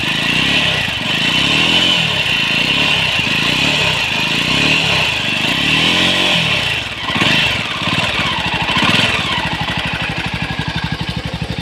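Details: Jawa 42 BS6 single-cylinder motorcycle idling, then revving with a rough, uneven clatter over the exhaust beat; abnormal engine noise, cause not clear.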